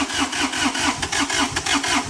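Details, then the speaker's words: Chinese skid steer, first start after its motor was rebuilt following running with no oil and after chasing electrical and fuel problems: even starter chugging about 4–5 beats a second with strong compression, trying to catch but not firing yet. "Oh, it wants to go. Oh, come on."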